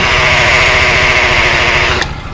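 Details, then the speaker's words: Thai manual-clutch motorcycle at idle, clutch lever pulled or pedal pressed: high steady whirring hiss over rough single-cylinder idle, cutting off abruptly; worn clutch release bearing. "ถ้าเรากำคลัชแล้วกดคลัทช์เหยียบคลัทช์เข้าไปแล้วนะครับมันมีเสียงนะครับ"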